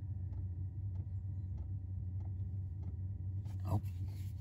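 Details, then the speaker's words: 5 kW Chinese diesel heater newly installed in a 1995 Chevy Astro camper van, on first start after the fan and glow plug came on: crisp, even ticks about every 0.6 seconds over a low hum. The fuel pump is priming normally. "okay i'll get back to you when that comes on okay the fuel pump just came on"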